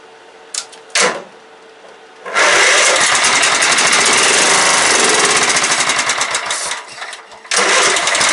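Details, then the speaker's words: Late-90s Craftsman LT 1000 mower with a 15.5hp Kohler Command OHV single-cylinder engine, revival attempt: a few clicks and a short crank after fuel is added to the empty tank, then it catches and keeps running at a fast, rough beat. "she's a runner she's a runner sorry I'm kind of excited"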